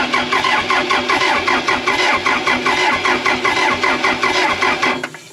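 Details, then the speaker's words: Case 450B bulldozer diesel after adding fuel to dirty, paint-contaminated system: steady cranking pulses roughly one a second, never catching, no smoke; owners unsure pump is delivering fuel. Cranks but won't start, cause suspected, not confirmed. "You know, it might be pumping fuel a little bit. I mean, it should be smoking at this point, right?"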